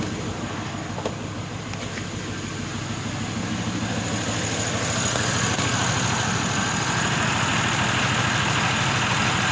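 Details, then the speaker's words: Pontiac Grand Prix engine, warm with heater blowing hot, idles unevenly with a lumpy, stumbling misfire; not throttle position, throttle body clicking audible; PCV valve had been left unplugged. "the heater's blowing nice really hot but it's just still [ __ ] misfiring"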